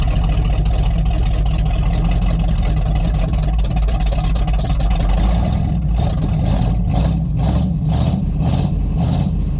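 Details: Rotted Chevy Squarebody truck with a 454 big-block V8 idling with jumper cables: deep, steady rumble with no knocks or misses. It sounds good, though a hydraulic fluid drip is increasing; normal running.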